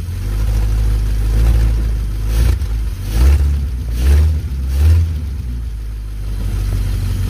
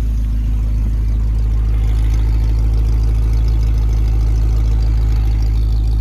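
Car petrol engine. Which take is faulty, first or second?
first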